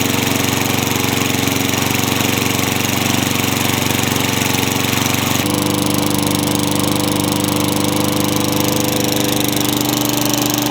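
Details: Craftsman mower with engine swapped in for the blown Tecumseh, running after the kill switch and coil wiring were fixed to restore spark: single-cylinder runs steady and even with one step up in speed, no stumbling or misfire; running fine.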